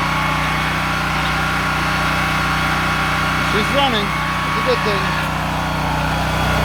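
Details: Honda EM6500SX electric-start generator, before carburetor cleaning, oil possibly overfilled (stuck needle valve suspected), choke open, amp/watt meter and heat gun load attached: steady even drone, no hunting or misfire; normal running under load.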